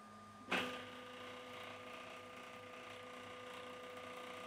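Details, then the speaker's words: Sovol SV08 3D printer Z motor: steady hum with a clunk at start and faint buzzing rattle as the axis moves; owner thinks one Z motor is very loud and plans to clean the pulleys of dirt; cause unconfirmed. "So, and the Z motor rattling is very much, I think it's one of the motors which is very loud. I will have to clean those pulleys, definitely one of the next things to do to make this noise go away."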